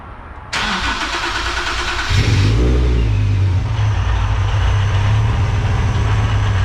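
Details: Nissan 370Z with a newly installed Soho supercharger kit: starter cranks briefly, engine catches and settles into a steady idle with faint blower whine; normal start and idle.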